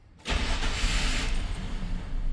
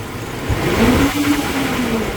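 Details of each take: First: 1999 GMC Sierra with 261,000 miles, misfiring on both banks, cranking: a steady, even beat of about three per second with no dragging or uneven strokes, then it fires; compression sounds balanced. Misfires were traced to a leaking intake manifold gasket. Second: 1999 GMC Sierra on cold startup: uneven, stumbling idle with intermittent misfires flagged on cylinders 8 and 4, later all cylinders; intake manifold gasket leaking (later removed, cleaned, replaced).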